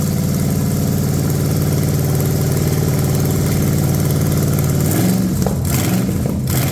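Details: Cheap Ford 460 V8 revival run, lawn mower tank gravity feeding original mechanical pump: deep steady idle, then crisp throttle blips, no ticking, clatter or smoke, good oil pressure, 40 lb once warming; normal idle and revving.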